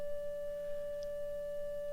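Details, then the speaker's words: 1935 Philco 54C field-coil speaker with patched cone: clean steady mid-pitched test tone getting louder as field coil DC current is raised toward 40 mA; no buzz, rattle or scraping, speaker working properly. "so if it's working the volume will go up because the magnetic field will be getting stronger so you help me listen for it also and watch this by dial do not let this go over 40 ok there's 10 here in the volume I hope that's not aggravating"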